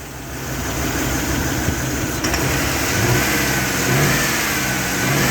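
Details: 5.3 engine with a bad fuel injector: an uneven, lumpy idle with a stumbling beat that won't settle; rough running misfire from a dead cylinder.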